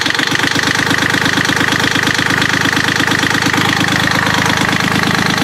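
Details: Yanmar 3GM30F marine diesel, first start after gear case cover gasket replacement and reassembly with fuel lines bled: catches and settles into an even clatter of about three beats per second; healthy, normal.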